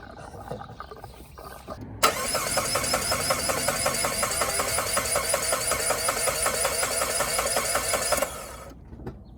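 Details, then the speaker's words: Saab 9-3 after adding fuel: starter spins engine evenly about six seconds, never fires; crank no start, Tech 2 shows immobilizer code, newly installed gauge cluster suspected needing marriage. "So hooked up the Tech 2 to just scan it for all of its codes. There's one code for the immobilizer."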